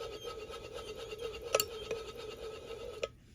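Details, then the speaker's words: Stihl 044 Magnum chainsaw crankshaft removed during rebuild, ignition/flywheel-side main bearing turned by hand: gritty, rasping rumble instead of a smooth, silent spin. Not very dirty, but the bearing is starting to wear out. "um so definitely you can tell that the bearing on the ignition side is starting to go it's not terribly dirty though"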